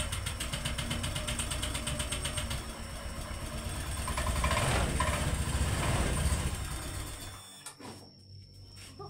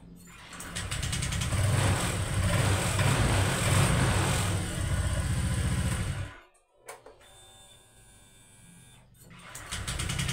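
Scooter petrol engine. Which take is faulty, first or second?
first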